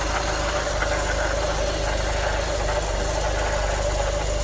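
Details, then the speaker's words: 1988 Volkswagen Cabriolet with mechanical fuel injection, sitting about two years, idling steadily with faint tapping and a constant whine; suspected oil burning off the exhaust, a wobbling crank pulley, or the timing belt rubbing the cover, not confirmed. "Yeah, there's got to be some oil there on the exhaust that's burning off. That's probably that noise I'm hearing."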